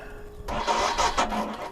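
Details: Royal Enfield Himalayan in cold weather, key on, in neutral: about one second of starter whirr that never catches; no-start the owner blames on a weak battery and plans to replace it.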